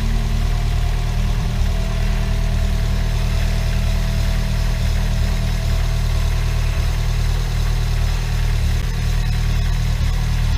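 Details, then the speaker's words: Chevrolet Celta at idle after restoring the alternator, whose bearings were noisy from mud contamination. Smooth steady low hum, no bearing rumble or whine; the alternator is now quiet and charging 14.61 V. Normal running. "e agora tá aí tá lisinho alternador não tem mais barulho sereno sereno estava carregando 1461"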